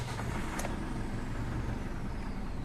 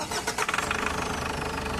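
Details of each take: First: Ford Everest diesel brought in for low power and a noisy engine, after oil change, sensor and MAF cleaning and new air filter: idle too low with a dull rumble; suspected air in the fuel, fixed by pumping the fuel filter assembly primer. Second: Ford Everest diesel after oil change, MAF and sensor cleaning, new air filter and bleeding air from the fuel filter: restart catches and settles to a steady, even clatter; no misfire codes read.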